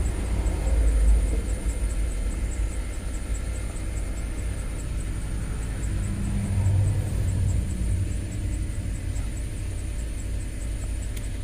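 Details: 2005 Land Rover LR3 4.4L V8 idling: low rumbling, uneven lumpy beat with irregular stumbles; misfire and rough running after multiple failed repair attempts, codes P0300 and P0302/3/4/6/7, cylinder 7 dead, mass airflow reading high.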